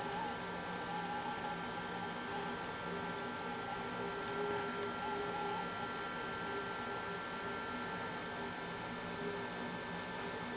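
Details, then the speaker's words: Intermountain GP10 locomotive with LokSound Full Throttle decoder, under throttle after setting CV124 to 4: low steady hum with faint whine, smooth, some residual noise but far less than before. Quiet motor running with slight hum. "So if you can hear through the video, there still is some noise, but it's not nearly as loud as it was before setting CV124 to value number 4."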